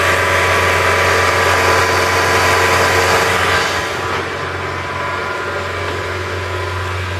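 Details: Saab engine running with a steady hissy high-pitched tone on top that drops away after a few seconds; turbo failure suspected, not confirmed.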